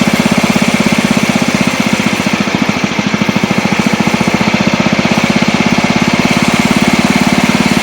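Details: Old Montgomery Ward Power Kraft riding mower, no air filter, blade engaged and cutting: single-cylinder engine fires fast and evenly with a steady beat and no misses, after earlier stutters while driving; healthy running under load.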